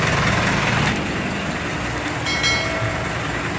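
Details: Mitsubishi Canter HDL 136 thermo box truck diesel idling harsh and uneven with shaky stumbling rhythm; teardown of the injection pump found the timer cracked, fragments in the oil pan, bearings undamaged.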